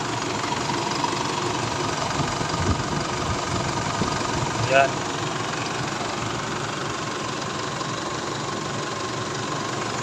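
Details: Isuzu D-Max diesel after the intake part was reinstalled. Before the fix it stalled with that part connected, and ran with low power with it removed. Now it holds a steady low idle rumble without stumbling or dying; idling normally.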